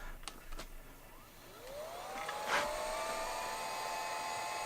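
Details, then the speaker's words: Old Celeron PC running Windows 2000 on power-up, used to test a 1985 Epson DX-10 printer: faint clicks, then a tone climbing into a loud steady high whine like a jet taking off: loud whine at power-on. "sounds like a jet airplane taking off uh-oh I might have to use a bit of a newer computer for this"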